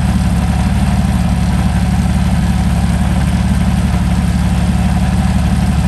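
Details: Meteor Interceptor V12, first start after complete rewiring to new engine management, car jacked up for gearbox test: heavy, deep, even idle with steady low throb, no misses, no smoke, smooth and strong; normal idle.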